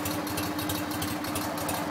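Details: BMW R50 motorcycle's first start after restoration, run with a cooling fan; occasional backfire said to be normal. Smooth, even flat-twin idle with a steady beat and no knocking or missing; normal idle.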